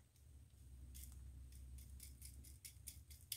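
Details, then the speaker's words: 1989 Rainbow D4C vacuum canister, disassembled for refurbishment: a bearing spun by hand gives dry, gritty metallic ticking and scratching, badly worn and rough. "that bearing sounds terrible I mean that sounds really terrible"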